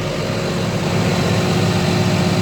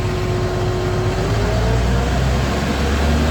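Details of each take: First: CAT 966G loader with freshly overhauled 3176 diesel, previously low power and misfiring from dead number 3 and 4 injectors: after the fix it runs steady and even, a deep low rumble with no misfire or stumble, RPM rising quickly. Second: CAT 966G loader with a freshly overhauled 3176 diesel engine, low on power: uneven misfiring rumble, and rpm climbs very slowly when revved.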